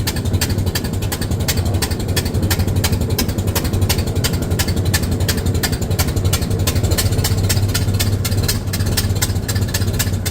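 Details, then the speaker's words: 1926 Model T Ford four-cylinder just after starting: slow, even idle with a steady low thump at about four firing pulses a second, smooth and regular. Normal idle. "She's going to fire up today. Oh, almost. Yes. There we go, just like that."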